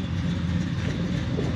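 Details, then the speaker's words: Supercharged Mustang GT, allegedly over 600 hp, tuned by several shops: deep, uneven, lumpy idle with unsteady low pulses; reportedly only runs decently in cold start mode, cause not yet found, rough running. "But as you can hear, it isn't running that well and allegedly, it only runs decently when it's in the cold start mode."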